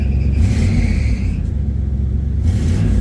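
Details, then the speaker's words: 1985 Chevy Caprice Classic wagon, small-block V8 revving: deep smooth rumble swelling with throttle and settling back, clean and even, no knocks or misses; owner says it just runs so good. Normal revving. "listen to this thing it's running so damn good don't worry about that i just washed it there we go i mean this thing just runs so good"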